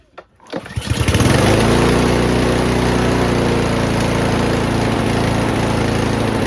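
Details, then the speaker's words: Troy-Bilt TB240 push mower with a Honda engine, after a new carburetor and fuel line, with the governor linkage and spring left unconnected: catches after a few pulls, then holds a hard, high, steady buzz; over-revving from the missing governor linkage. "In my mind, I was like, why does this sound like it's revving so high? Yeah, definitely don't ever forget the governor linkage cuz in some things with the carb replacement, if you don't do it, the mower just won't [snorts] start."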